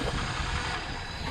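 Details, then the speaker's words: 2000 Toyota Corolla after rod bearing replacement, reassembled: short clip of even, low idle with no knocking under the rumble; earlier a slight cold knock was noted, owner believes it goes away warm; bottom end sounds healthy. "all right guys so we got it all finished we got the car back together it sounds great"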